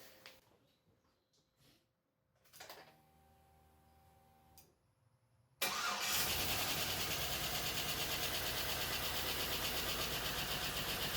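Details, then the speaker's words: LS-swapped 5.3L GMC S10 Sonoma on its first start, stock harness, scanner on OBD2. Slow cranking, then it runs loud and lumpy. One cylinder is suspected to be missing, and the coil packs are to be checked; not confirmed. "well there we go she runs something's not quite right so i'll have to check that out it sounds like it's missing on a cylinder maybe not sure"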